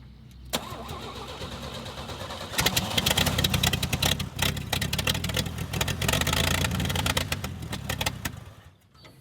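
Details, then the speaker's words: Toro Parkmaster tractor sitting for years, run from gas poured in and a hose into a can, throttle body cleared of mud dauber debris: cranks, catches and runs rough briefly then dies; owner suspects fuel pump may be bad. "seems to be running just long enough to use up the gas that i poured into it"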